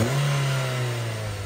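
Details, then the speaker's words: Nissan Almera petrol engine revving smoothly and evenly after the spark plugs were replaced; the earlier rough, stumbling running and shaking are gone, with no knocking in the note. "napaka-basic lang kita niyo naman nawala yung kogkog na kahimtang so Wala ng intro inro pa tapos na tayo so Tara ah"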